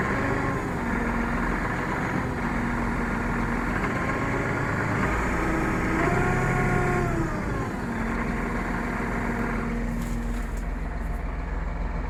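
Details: Massey Ferguson MF4708M tractor: steady engine drone with shifting whining tones over it, an odd gearbox noise, source not pinned down; dealer and manufacturer say no defect.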